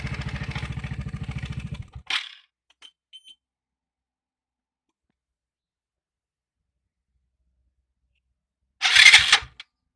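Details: 3-year-old Piaggio MP3 Yourban 300 scooter, intermittent no-start; starter churns evenly about two seconds, engine never catches. Battery, starter motor checked and relay replaced; button signal to starter relay sometimes lasts only a second instead of six.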